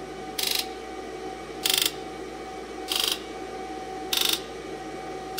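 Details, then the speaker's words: 2002 Ford F250 7.3 diesel, key on with a battery charger after reseating the right-bank valve-cover gasket connector: short bursts of even, high injector buzzing over a steady hum with no codes set. Normal injector buzz test. "I'm gonna try injector Buzz test again sounds good survey says no codes"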